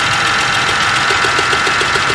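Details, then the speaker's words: 2012 Chevrolet Traverse 3.6L with P0300/P0304/P0354 misfire, new AC Delco plugs and coils on cylinders 3 and 4: hollow, uneven chuff several times a second and a skip while cranking; misfire, suspected dead cylinder. "that's an interesting sound that does not sound good she's firing i noticed it had a skip when i was cranking on it that is really not good"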